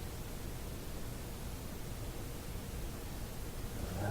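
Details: Westinghouse 1398 AM/SW/FM tube radio during noise troubleshooting, going through tubes: only a soft, steady hiss with no crackles or pops; clean, quiet receiver.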